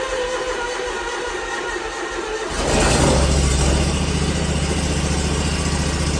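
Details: 27 hp Kawasaki zero-turn mower, first cold start of the day with a weak battery on a charger: quick crank, catches cleanly and settles into a steady, even idle with no stumbling. Normal cold start and idle.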